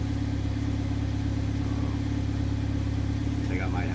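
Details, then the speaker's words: Idle at the exhaust after replacing the exhaust camshaft position sensor (P0014, limp mode; solenoid codes P0973/P0976 still suspected): steady even low hum, no stumble, rough idle gone, check engine light off; normal idle. "what no rough idle when I'm at a stop check engine lights off we're going down the road and shifting good it's quiet and I'm happy"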